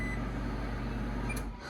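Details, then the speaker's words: KitchenAid/Whirlpool microwave test run after repairing error code F2E1 by replacing a door switch and reinstalling it: smooth steady low hum, no buzzing or clicking, easing off at the end; normal running, no error code. "let's do a test here and we're working no more error"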